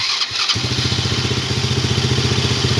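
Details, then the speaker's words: Old ATV pulled from a barn, cold start, thought to be short of fuel: it catches after cranking coughs and settles into a quick, uneven putter; rough running, with known blow-by and a leaking head gasket. "That sounds like a BB gun."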